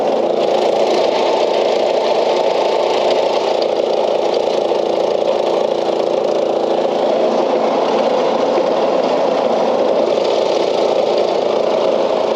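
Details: Old Craftsman LUV (Lawn Utility Vehicle) riding mower, non-runner revived, with a vent suspected plugged and left loose: loud, steady single-cylinder drone at even speed, no misses or surges; stays running and goes in gear; normal running.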